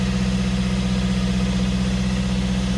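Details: Fiat 500 diesel with replacement engine of unknown history, after replacing the too-far-gone DPF; previously it smoked heavily on startup. Even diesel clatter at steady idle, regular firing with no misses or hunting; sounds healthy, normal idle.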